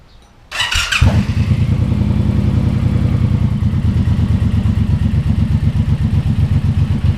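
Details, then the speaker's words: Suzuki Boulevard M109R V-twin just after an oil change, filled with about 3.6 L of fresh oil, started to circulate it through the engine and filter: starter catches, then a steady loping low thump of about four beats a second; normal idle. "When you start it up, make sure the oil light goes out, that way you know the oil's circulating around the bike."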